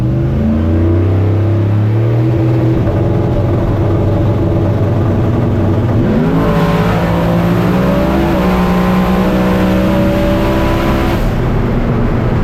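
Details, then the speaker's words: V8 drag car with traction control at Holley LS Fest, tuned up since last time: loud full-throttle pass whose pitch dips and climbs unevenly instead of rising cleanly; boost surging suspected, not confirmed. "still can hear I can kind of hear the Boost uh iss"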